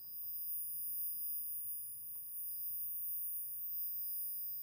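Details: 1963 Montgomery Ward Airline Imperial console TV, Wells-Gardner WG-5974A line-operated chassis: no high voltage and squealing, tubes check good; faint steady high-pitched whine over low hum as horizontal oscillator runs far off frequency, failed suddenly.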